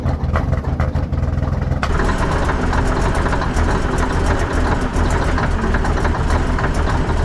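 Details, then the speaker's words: 1980 K Whopper picker truck diesel just fired up with the throttle to the mat after sitting for years, oil pressure showing; uneven clattering and thumping at a lumpy idle; a rough cold idle. "pressure she's not a happy dirty old comment to tell you that she is not impressed right [Music] now"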